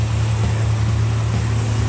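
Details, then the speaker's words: 1970 Plymouth Road Runner V8, fresh start with timing set, starts on one crank: deep steady rumble with even beat, no knocks or misses; running smooth. "man sounds good one crank boom it starts timing's on"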